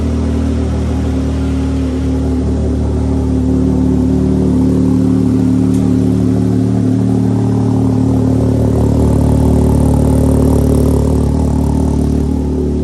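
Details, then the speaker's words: 2022 Can-Am X3 with custom big Garrett turbo and MoTeC M130 standalone, first start on dyno: smooth steady idle, even low rumble and faint whir, no knocks or misfires; checking for leaks, sounding good. "Check for any leaks. Sounding good though."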